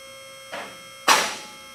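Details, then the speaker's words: Advantage Legacy 4-post lift, first raise to the top before adjustment; over faint pump hum, two separate sharp clacks about half a second apart as the unadjusted locks pass catch holes out of step. "You'll hear the locks clicking as it's going up through each one of the holes. At this point, we have not adjusted them, so they're not clicking all at the same time."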